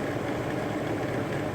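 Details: BMW X5 M62TUB44 V8, first start in months after timing chain and guide replacement: smooth, quiet idle with an even low hum, no ticking, rattle or chain slap; healthy.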